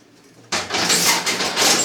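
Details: Refurbished 2007 EAM Mosca ROMP-5 strapping machine, 800x400 mm arch, 5 mm strap, with the tension motor switched on: after a pause, a harsh whir holds about 1.5 seconds as the strap cinches tight around a hand; a normal cycle.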